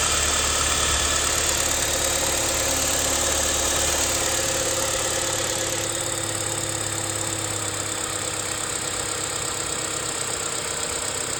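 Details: BMW E87 idling after tensioner replacement, with a fast, even metallic rattle at about three beats a second from the front end; cause unclear.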